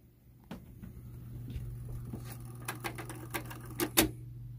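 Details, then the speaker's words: Kenwood KX-644W dual cassette deck in dubbing mode: steady low motor hum with irregular clicks and clunks that bunch up and grow louder; cause unknown, abnormal mechanism noise. "everything works on this one except for this one we'll keep going when it's in dubbing I don't know what's going on with all that"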